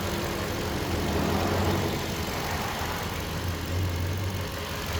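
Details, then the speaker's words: Lifted 2021 Toyota Tundra 4x4 during a pre-purchase inspection: low, steady engine rumble with no knocks, rattles or misses over a mild background; engine running healthy, though a little smoke was noticed. "engine sounds good"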